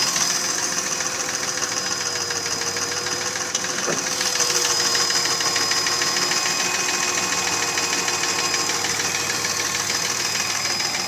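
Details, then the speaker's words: Mercedes ML320 with 3.2 L M112 engine, scored cylinder walls: sharp, regular knock tapping at idle speed as pistons rock in the bores; piston slap from cylinder scoring. "Но суть того, что задиры, это стук из-за задиров. Поршня болтаются в гильзах. И вот этот стук издается такой."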